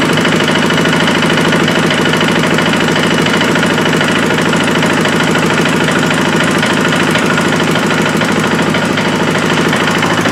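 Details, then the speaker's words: KTM 450 XC-W, previously water-damaged and given an owner-done top end, now pressurizing its cooling system from a head gasket leak: on start-up a dense, rapid clatter of about three beats a second sits over the engine, with some smoke, possibly from running rich; cause unconfirmed. "But he also says it's making some weird noises, so we're going to fire it up and see what it sounds like."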